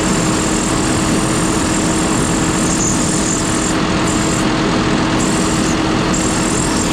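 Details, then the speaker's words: John Deere 5067E diesel tractor with only 30 hours: thin high hiss coming and going over steady running, boost leaking at a loose intercooler fitting, costing horsepower. "Shoot, losing boost right there. It's leaking. That's the intercooler. That right there will make a big difference in your horsepower when you're losing boost right there."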